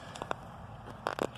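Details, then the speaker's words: Corvette front suspension rocked by hand: sharp, loose clunks from the worn driver-side sway bar end link while the right side is tight; the cause of the clunk over bumps, turning and braking, and the link is to be replaced. "but this one is just way too loose and seems to not play on it pretty bad already so I'm going to take it off and replace that"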